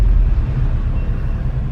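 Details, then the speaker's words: 2018+ Subaru WRX STI on a test drive after new brake pads, fitted to stop weeks of squeaking: only low road rumble while braking, with no squeal or scrape; quiet braking, no pad squeal. "so far it's been good cuz usually when I'm breaking out would already hear the squeaking right now right now it's pretty good so far so good"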